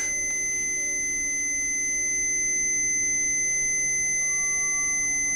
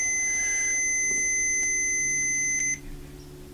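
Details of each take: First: 1975 BMW R75/6 airhead boxer, ~140,000 miles, after new points and re-adjustment, static timing check: steady high buzzer tone holds about five seconds, cuts off cleanly as points open on the mark; timing correct. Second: 1975 BMW R75/6 airhead boxer, ~140,000 miles, after new points, static timing check with buzzer: steady high buzz cuts off as points open before the S mark; ignition still slightly too advanced.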